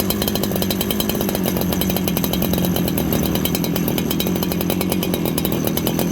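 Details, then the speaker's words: Farmertec 288 kit chainsaw after oil pump repair, during carb tuning with the low jet turned in from a very rich setting: a steady high two-stroke buzz with a brief stumble in the firing; owner suspects it is now lean. "did you hear that little stumble listen for it okay that little stumble it's probably lean"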